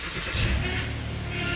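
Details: Power steering bleeding with the front end elevated, engine just started and the wheel turned lock to lock: a thin pump whine rises as the wheel moves, from air in the fluid, fading as turns continue.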